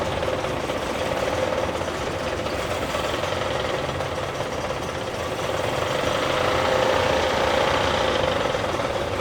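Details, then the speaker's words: Honda 30 outboard at idle with propeller removed, bent propeller shaft from a hit, carburetors cleaned but untuned, oil pressure normal: dull uneven knock about four a second that disappeared with the lower unit removed, gear knock from the lower unit. "Some kind of indistinct knocking presents. The carburetors are not tuned yet, so it works like this."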